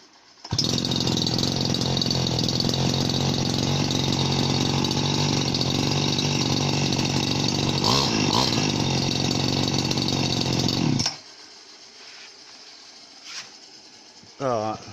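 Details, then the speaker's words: Chinese RBC411 two-stroke brush cutter, about 8 years old, restarted; catches and holds a steady high buzzing run for about ten seconds with no misses or knocks, then shuts off cleanly; normal running, no rebuild needed. "นี้เป็นเครื่องตีนะครับต่อดูถูกไม่ได้นะครับเครื่องจีน8ปีครับก็ทนทานอยู่ครับ"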